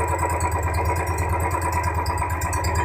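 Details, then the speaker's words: New Royal Enfield 350 BS6 single-cylinder after fresh engine oil was added, checked for tappet tik-tik noise: even thump at idle with no valve-gear ticking, sound described as relaxed and smooth; normal idle. "आपको scenery में इसलिए सुना रहे दोस्तों का sound राहत है बहुत भाई लोग बोलते हैं की यहां पे एकदम आराम से साउंड है"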